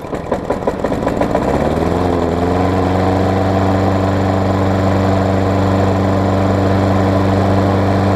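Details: Craftsman Tecumseh self-propelled mower after tightening a loose blade that was also on backwards, which had caused clunking. With old gas and priming, it cranks, catches and settles to a smooth, steady drone: normal running.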